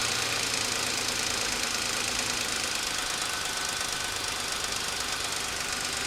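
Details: Suzuki Escudo with H25A engine: quick light knocking about two per second buried in a hissy engine rush; owner and mechanics cannot identify the source, teardown suggested.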